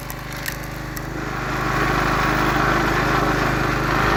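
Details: Log splitter small engine test-run after the hydraulic pump was rebuilt with a kit: a steady thrum that picks up under splitting load, with no squeal or stumble. Normal log splitter operation.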